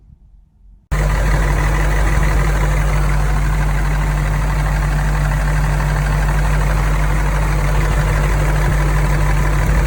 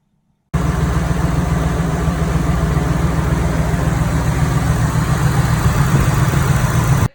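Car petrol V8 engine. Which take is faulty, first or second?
first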